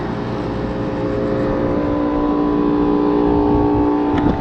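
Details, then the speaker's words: Rooftop AC unit, noisy and not cooling; compressor labouring with a strained, droning hum, iced up with a frozen evaporator coil because the blower motor would not start; contactor burnt, no condensate from the drain. "Fans on. Compressor doesn't sound right. Have water underneath. Nothing out of the drain."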